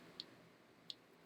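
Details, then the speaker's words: Small 2S brushless FPV quadcopter: two short high chirps about 0.7 s apart as the ESC restarts, losing power through a loose XT60 connection whose squashed female contacts need spreading with a screwdriver. "you can hear the the ESC is restarting because it's not getting power that's because the female end of the xt60 um is two smashed together"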